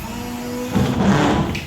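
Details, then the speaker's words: Car windshield wipers running with one blade lifted: steady squeak, then rough rubbing scrape as the other blade drags across the glass; that blade is the noisy one, its rubber bent to one side by pressure over time. "Wipers की वही आवाज़ वापस आ चुकी है। इसका मतलब हमारा ये वाला वाइपर बिल्कुल ठीक था और ये वाला इस वाले वाइपर से आवाज़ आ रही है।"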